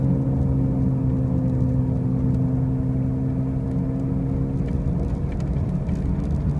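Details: 2005 Pontiac Grand Prix with brand new wheel bearings and new tires: a steady low drone with a deeper hum underneath stays constant while cruising; a loud humming noise while driving, source not found.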